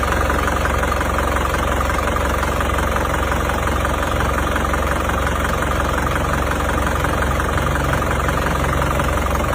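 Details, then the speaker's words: Isuzu Panther Grand Touring Euro 2 diesel with heavy oil consumption, idling: steady loud clatter with rough puffing about 2–3 times/s; smoke even cold, thicker hot, spurting from dipstick tube: compression leaking into crankcase, heavy blow-by. "Ya kalau dingin keluar asap berarti sudah dipastikan ini bukanlah uap oli tapi kebocoran kompresi yang masuk ke starter. Kalau kondisi panas mesin ini asapnya menjadi semakin tebal."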